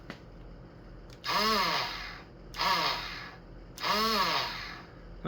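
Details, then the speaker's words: Honda EZ90 Cub on electric start after reassembly: three short bursts of the starter whirring up and down without the engine catching; owner suspects the starter Bendix drive didn't engage the flywheel and the case must come off. "You know, I wonder if that starter Bendex did not engage. Damn it. In here. Because I don't hear it catching."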